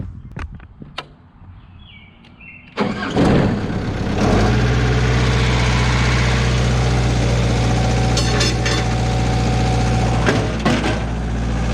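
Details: Stump grinder's first job after motor rebuild, cutting a willow stump; a few clicks, fires at about three seconds, settles to smooth even idle; runs great, though leftover oil on heat shield burnt off.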